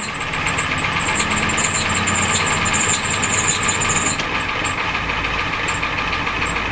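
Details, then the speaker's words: Ford 7.3L diesel pickup, cold start around 50s °F, smoking: high chirping squeal wavering then dropping out after four seconds at idle; belts slipping, owner blames swollen belts and pulley/tensioner. "That's the problem. The belts are swollen cuz the pulley and stuff are not Yep."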